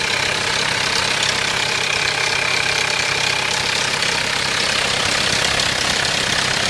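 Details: 1993 Mitsubishi Pajero 2.8 diesel automatic at idle: busy metallic rattle over steady idle, about four taps a second, unchanging; owner suspects timing chain rattle, unconfirmed.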